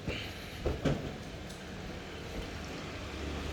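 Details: LG twin-tub washing machine that would not spin dry, after repair work on a cable at the back, lid closed and plugged in: steady low rumble of the spin tub running up with a few light knocks; the machine vibrates and spins normally.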